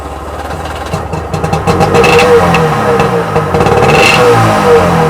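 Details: Freshly rebuilt Sea-Doo XP 720 two-stroke, first start in driveway, carbs primed, driveline disconnected: catches and revs with raspy crackle that steadies out; first heat cycle, healthy running.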